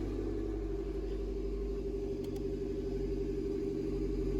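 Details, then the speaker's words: Toyota MR2 on a very cold start just after alternator replacement, with the earlier squeal gone. Even, steady petrol idle held slightly high with a smooth low rumble. This is normal cold fast idle. "got a high idle i mean it's the cold start you can see the it's actually it's super cold so we're good"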